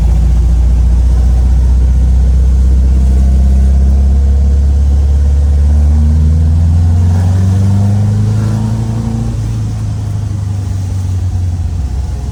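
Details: 1967 VW Type 3 Squareback, first drive after engine install; smooth even engine note climbing steadily in pitch as it pulls away, no knocks or misses, feels more powerful than before, normal acceleration.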